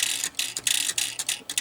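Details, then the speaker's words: Airport electromechanical pinball machine under repair, after new rollover switches fitted and switch blade readjusted for spring tension: quick bursts of crisp ratcheting clicks with short gaps, normal mechanism noise they all make, just unheard during play. "And if the noise that it's making, they all do that"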